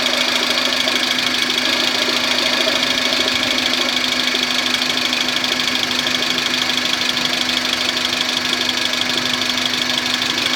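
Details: Suzuki (Maruti) Esteem MPFI petrol engine running just above idle at 1200-1400 rpm: an odd rhythmic knocking rattle over a steady hum, a strange abnormal noise.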